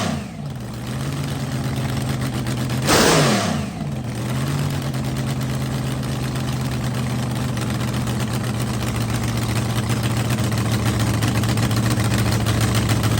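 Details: Rebuilt blown V8 drag car on first fire-up after winter refresh, on the trans brake, RPM switch set at 6,000 for the shift solenoid: deep, steady lumpy idle, one sharp blip around three seconds, settling back evenly; no milky oil, healthy.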